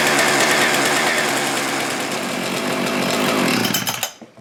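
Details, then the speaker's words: Husqvarna 575XP (early 576XP) two-stroke saw after replacing the failed integral crank seal with a radial seal, running with no flywheel weight: crisp snarl that picks up revs quickly and cleanly, then drops off at shutdown, healthy. "Amazing what happens when it has no flywheel weight. Some real snappy acceleration, right?"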